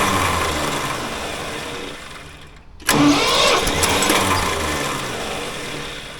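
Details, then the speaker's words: Old Ford loader backhoe that had sat a long time, cranked with ether: catches on a burst then fades and loses power; spark and ignition are good, but it needs choke and cannot run without ether or carb cleaner, fuel starvation. "well at least it's running she needs the choke though well we know it runs that's half the battle so at least we know what uh ignition wise it's got a good spark and it's firing but it can't run without ether or carb cleaner"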